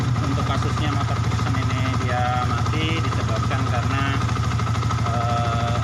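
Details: Yamaha Vixion fuel-injected motorcycle after the spark plug was replaced, having died from oil rising into the combustion chamber: steady, even single-cylinder idle at about three beats a second, no misses or stumbles.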